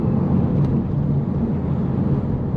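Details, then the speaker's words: Audi TT Mk1 Quattro (BAM 225 engine) under hard load, after replacing the N75 valve: a steady, unbroken deep roar holding about 11 psi boost in fourth and 10 psi in fifth gear. Boost no longer breaks up. "So it's behaving dramatically different. If we really get on it, it's about 11 psi in fourth gear. Let's go into fifth. About 10 psi. So it's no longer breaking up."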